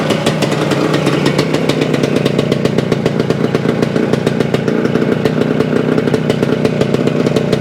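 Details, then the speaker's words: 1975 Suzuki TS-250 two-stroke, first start after a no-start, about 30 degrees out: crisp, even popping at a steady rhythm without misses; fault traced to loose stator screws re-secured to base plate, stator rewired, coil grounds repaired. "well it sounds sounds like we got a live one not sure what the problem was"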